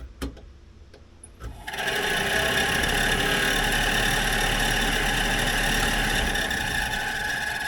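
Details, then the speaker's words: 1964 Dodge D100 Utiline heater blower motor before lubrication: it kicks on and holds a steady high-pitched squeal over the fan rush, suggesting a dry bearing. After it was removed and lubed it ran much quieter. "here how that's squealing let's take it out and see if we can't lube it up and get it to run quieter than that"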